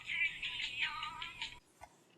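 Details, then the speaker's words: GE cassette recorder playing far too fast: squeaky, high-pitched sped-up music because the variable speed playback (VSP) knob, mistaken for the volume control, was turned all the way up. "you know vsp variable speed playback and guess where that knob is right there and guess what I had it all the way up"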